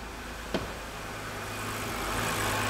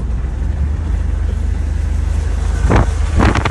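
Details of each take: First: 2011 BMW 328i E93 N52 after engine replacement, first start once a ground issue was fixed, no cooling system fitted: steady, smooth idle with no knocking, ticking or misfire; heavy exhaust smoke, likely from oil blown into the exhaust. Normal idle. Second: 2011 BMW 328i E93 convertible, deliberately beaten hard: rough, uneven engine roar under wind noise, then two harsh clattering bursts half a second apart; connecting rod later snapped in half and was ejected out of the oil pan.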